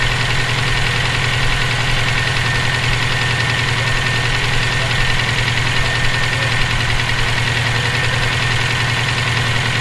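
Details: EJ257 engine knocking at idle for about 17k miles since purchase; sharp metallic knock, loosely timed a few times a second. Owner suspects rod knock, spun bearing or valve lash needing adjustment; unconfirmed.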